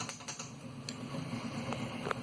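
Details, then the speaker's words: 3D printer extruder cooling fan, about one month old: light, uneven rattle and ticking over a low motor hum, first mistaken for the X-axis linear bearings, actually the worn fan bearing. "see hear that that was what i thought was the ball bearings in the linear bearings rattling it wasn't it was this fan"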